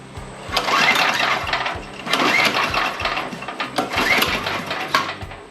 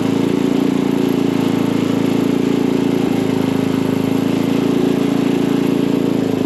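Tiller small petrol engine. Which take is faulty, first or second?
first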